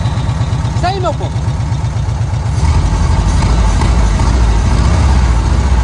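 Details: VW Kombi petrol engine on its carburettor after the jet (chicre) was swapped, idling while the air is adjusted: a low, even thrum with a steady beat that firms up slightly midway; engine settled, normal idle.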